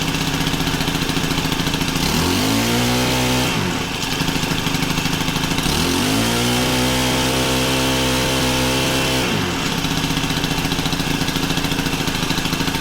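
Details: Honda FG110 tiller, GX25 engine, new carb under adjustment, idle turned up high for warm-up: revs up and settles at a steady high idle, even firing, no misses or hunting; running normally.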